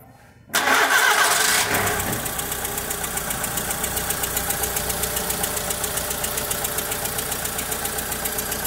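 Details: Volkswagen Saveiro pickup that the customer says lacks power and feels sluggish when pulling away; after the start the idle settles into an uneven rhythmic pulse, nearly four per second; weak compression on two cylinders is sapping power.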